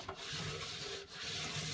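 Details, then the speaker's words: Indesit Innex washing machine, 7 years old, drum turned slowly by hand: dry, gritty rasping with rough catches through the rotation; drum bearings completely failed. "going over speed bumps you can't see that but i can feel it you can hear it can you i think i think that's awful it's just it's just awful"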